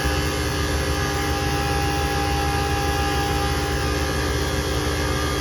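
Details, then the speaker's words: Very old package-unit HVAC system: the compressor gives a loud, steady, strained roar and sounds like it is screaming from high head pressure. One condenser fan is not running and the filters are pulled into the unit; the cause is suspected, not confirmed. "it's actually doing better than what it was the first time pressure sounds like it's screaming"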